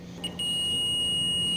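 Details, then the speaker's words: Multimeter on continuity/diode setting, probes touched together before testing fuses on a car that only clicks and won't start: clean steady high beep; tester working. "al tocar debes de escuchar el sonido Ahí está si no está bien no se va a escuchar nada"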